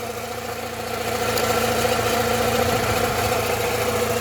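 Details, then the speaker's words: Rover 45 Impression S3 CVT at idle, listened close with a probe: fairly even knock around three to four per second, loudest near cylinders three and four; gearbox and alternator bearing ruled out, oil starvation or blocked pickup suspected. "an oil flush that noise could be due to starvation for all we know the oil pickup tube could be blocked and it's causing oil starvation across that engine and that is definitely a sound coming from the region of cylinders three and four"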